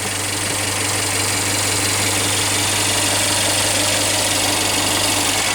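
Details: Mercedes A200 1.6 turbo, brought in for water pump noise, idling hot with coolant around 102–105°C before the cooling fan switches on: smooth, steady idle with even hum, no ticking, knocking or whine; sounds healthy.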